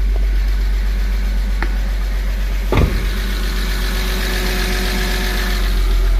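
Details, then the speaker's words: Porsche 986 Boxster flat-six after engine-out IMS bearing, starter, oil vapor separator and oil cooler replacement with cleaned intake manifold and valves, restart: even low idle, no ticking or rattle, one brief clunk, little exhaust smoke; normal idle. "As you can see, not much smoke coming out the exhaust because all the oil in the intake manifold has been cleaned, and all the valves, intake valves been cleaned, exhaust valves been cleaned as well."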